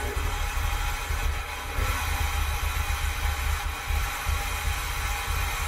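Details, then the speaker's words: 1982 DeLorean DMC-12 5-speed, cold start (header cold to touch): engine settles into a low, uneven idle rumble with a ragged beat, serious hunting and an odd low-end sound; sounds rough, improving slightly, cause unclear. "i don't like that sound and i don't know if that's just the the audio or or what but that just sounds terrible okay it sounds a little better now well so there's some serious hunting going on there"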